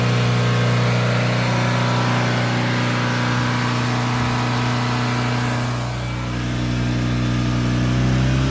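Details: Volvo Penta 3.0 GL-J (GM block) boat engine at about 4,000 rpm, recorded from mid-boat then closer: smooth, even high-rev drone with steady pitch and no knocks or misses. Normal high-rpm run.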